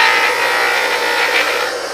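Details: Single-phase 2 HP (2CV) high-voltage motor after repair with all parts replaced, running unloaded at 7.7–7.8 A (current rises a little under load): steady even hum, constant mid-pitched whine, no rubbing or knocking; ready for the customer.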